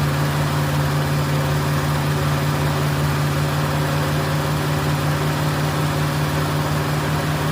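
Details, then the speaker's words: Ford Fairlane on the first start of a new Holley 500 CFM carburetor: fast, steady, even drone well above normal idle, reaching about 3,000 rpm, because the throttle linkage holds the throttle slightly open; linkage adjustment needed. "Okay, I got to adjust the linkage. a little bit. It's holding the uh throttle open just a twit."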